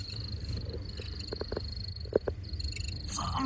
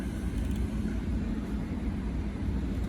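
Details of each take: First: 2015 Audi Q7 TDI has short, high chirping squeaks over a steady fan hum and thin whine from a worn bearing in the HVAC blower motor, which is to be removed to fix it. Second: 2015 Audi Q7 TDI HVAC blower motor after lubricating it to cure a squeak: a steady low rush of air at full fan speed with no squeak or chirp; it runs quiet and smooth.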